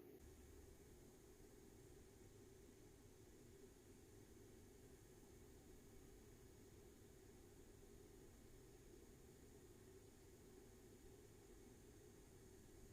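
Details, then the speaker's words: Chinese air heater in regulation mode, pump suspended on elastic cords: very quiet, even fan hiss with a soft low hum and no ticking or surging, under 30 dB, running normally. "on entend vraiment là on est en mode régulation on entend que la soufflerie je pense que vous entendez pas du tout la pompe"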